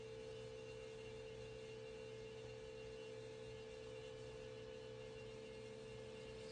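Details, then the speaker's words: 2011 VW Jetta TDI Sportwagon diesel after fuel filter replacement, pump activated via VCDS to prime: quiet, steady electric hum at constant pitch, smooth; normal priming, no leaks. "And if you listen, you're going to hear a change in the tone of the pump, and that means it's filled up."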